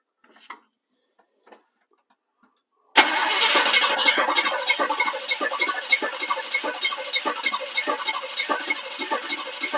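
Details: 1985 GMC Sierra 1500 after years of neglect, smog delete, new distributor and wires, swapped carburetor, a little fuel in the bowl: starter spins with an even churning rhythm but never catches; crank no start, possibly low fuel, unconfirmed.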